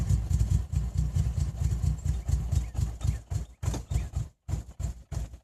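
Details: 1992 Nissan 300ZX non-turbo, just acquired on a trade, idling with an uneven lope and missing beats, a clear misfire of unknown cause.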